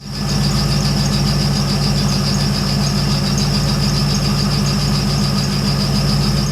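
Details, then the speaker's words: 2001 Corvette C5 V8 idling: steady piercing high belt squeal, too loud to drown out with exhaust or radio, from worn pulley bearing; fixed by replacing belts, tensioners, idler pulleys and power steering pump and pulley. "Now, this thing is, at this point, squealing beyond anything I can stand to drive. The exhaust doesn't drown it out. I can't drown it out with the radio."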